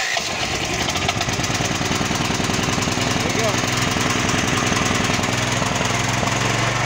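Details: Champion 9000-watt dual-fuel electric-start generator that previously started, backfired loudly and died after about 10 seconds; after the fix (wiring), engine holds a steady, even beat around idle with no stumbling or dying; runs clean.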